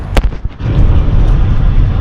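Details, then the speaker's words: Mercedes S500 W140, passenger-side front corner pushed up and down by hand: sharp, hollow knocks then low rumble; owner also feels wheel vibration at 50-60 mph; worn sway bar link, to be replaced. "that's the noise you're gonna hear that's that's the passenger side that's the noise you're gonna hear all you gotta do is push up and down yeah crazy"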